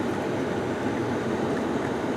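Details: 2009 Pontiac G8 with 200,000 miles, driving with windows up and AC on: steady, smooth road rumble in the cabin with no growl or hum building with speed; the front bearing sounds quiet here.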